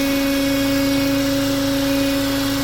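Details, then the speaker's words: Renault Oroch (Duster) engine with 54,484 km at idle: a steady, fixed-pitch whistling hum with the intake manifold vibrating. The sound changes when the PCV valve is disconnected, so the crankcase gas recirculation system is suspected. "aquí se puede apreciar Cómo se escucha el motor este multiple admisión se encuentra vibrando"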